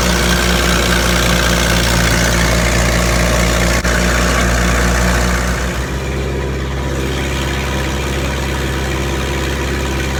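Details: Massey Harris 50 tractor idling normally, used with a pull-type snow blower: an even low chug of roughly three beats a second that settles a little lower partway through, smooth and steady.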